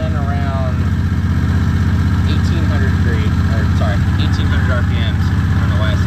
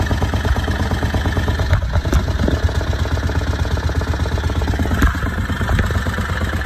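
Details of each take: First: Predator 670 22 HP V-twin in an EZGO Workhorse golf cart, warm, read on a newly fitted tachometer: even, fast beat holding steady around 1800 rpm, idle too high (target 1100–1200); governor set near 4900 rpm; idle then adjusted at the carburetor. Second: Harbor Freight Predator 670 22 HP V-twin in an EzGO Workhorse golf cart, after turning both carburetor idle screws down about half a turn: even, low lumpy idle around 1100–1300 rpm per tachometer, no misses or clatter; carburetor idle correctly set.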